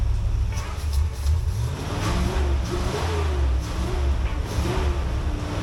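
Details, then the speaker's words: Abandoned Corvette C3 V8 running for the first time in 20 years after fresh gas and ether: deep burble lurching and stumbling, revs rising and sagging, won't idle; almost 80 psi oil pressure, owner suspects a vacuum leak. "all right that's the first time this thing has run in 20 years so it runs pretty good it's making almost 80 pounds of oil pressure so definitely seems really healthy I think we do have a vacuum leak somewhere so I'm gonna try to check all the lines and stuff because it won't idle"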